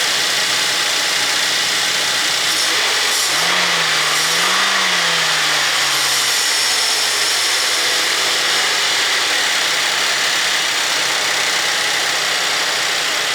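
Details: 2014 Buick Enclave 3.6L V6 at 200K miles, just after new spark plugs and ignition coils for a suspected misfire: steady, even idle with no stumble, briefly overlaid by music; normal idle.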